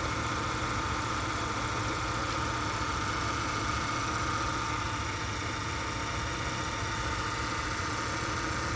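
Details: Old Ford with a previously loud power steering pump, just after a power steering flush with ATF: steady, even idle with no whine or groan above the engine hum; pump running quiet and healthy.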